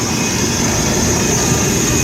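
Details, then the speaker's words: Rebuilt Strong Scott 5-ton ribbon feed mixer, 480 V three-phase motor and gearbox, in active shop with background noise: fires right up without hesitation, steady even hum, no knocks, surges or grinding; healthy run. "fires right up there's no hesitation on start up"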